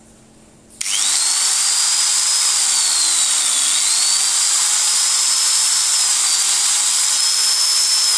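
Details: Makita 9500 angle grinder after its head bearing was replaced: steady high-pitched whir that holds after spin-up, with no grinding or rattle; runs freely and smoothly.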